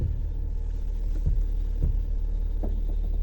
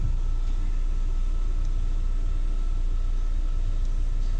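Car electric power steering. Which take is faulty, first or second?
first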